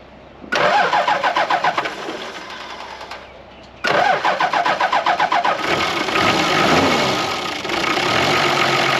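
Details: Toyota HJ75 LandCruiser diesel, about 200,000 km, revived after being parked for about a decade: cranks, stumbles, dies, then settles to a slow, lazy idle set too low, adjustable at the throttle idle screw.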